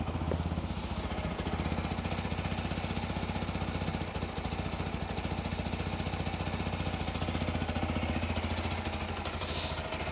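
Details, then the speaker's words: Keeway RKR 125 motorcycle, 6,430 miles, after new spark plugs with a booster pack on: small single idles with a quick, even putter at a steady pace, no misses or knocks; running normally, though a bit hesitant. "ah yes she's running right then running sounds like it's R all right"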